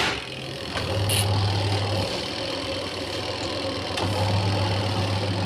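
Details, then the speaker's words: Whirlpool washing machine after grease was applied to the drum and buffer, where rust had caused loud noise: a low motor hum swelling and easing over a steady whir, with no grinding during wash and spin. Normal spin. "चक देखिए अच्छी तरह से चल रहा है wash भी और skin भी"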